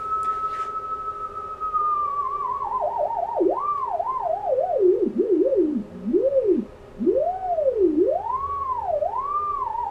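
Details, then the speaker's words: Basic JFET (J310) Hartley oscillator/VFO producing RF, heard on HF receiver: clean tone swooping and warbling widely as a hand nears the coil, extremely unstable frequency drift from hand capacitance; also vibration-sensitive. "it's make an RF as you can see with the scope back there but it's extremely unstable watch what happens to the pan adapter I'm gonna end the sound when I bring my hand next to the coil"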